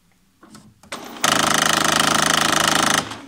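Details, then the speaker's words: HP Photosmart 5520 service station carriage jam: a few soft clicks, then a loud, fast rattling grind as the drive gear skips on sheared rack teeth when the unit jams at the rear stop. "you can see it's jamming to the rear and it's grinding when it reaches the rear if it grinds at this point let me show you now it goes to the rear"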